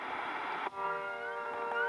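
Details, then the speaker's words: Breadboard FM transmitter build with music broadcasting; plugging in a small light on a supply line with no capacitor brings wavering, rising gull-like squeals over the song, mains interference that a filter cap would stop. "you hear it seems like we've brought in the seagulls which almost sounds like as part of the song when it's not okay I'll pull that out I need a cap over there"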